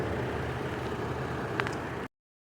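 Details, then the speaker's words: Normal idle of a 2002 Chevy Trailblazer LS after replacing the water pump and serpentine belt: short, steady, even low rumble with no knocks or squeals. The earlier squeaking and squawking is gone. "it's done she sounds so much better no more squeaking and squawking"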